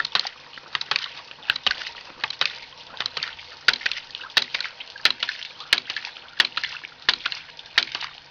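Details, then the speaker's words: Homemade gravity-powered ram pump from common pipe fittings, valve cracked open: sharp wet clacks about every two-thirds of a second, slightly uneven, water splashing between; waste valve slamming, pump delivering water. Normal operation. "So basically gravity is forcing this pump to operate. Now we'll crack this valve here, and you'll hear the second valve start clicking."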